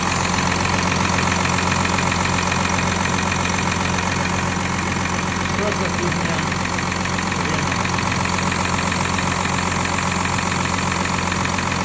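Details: VW Touareg 3.0 diesel (CRCA engine), cold: idling with a steady, fairly even knock about 2.5 times a second over rough diesel clatter. A cold-start engine knock, cause not yet pinned down.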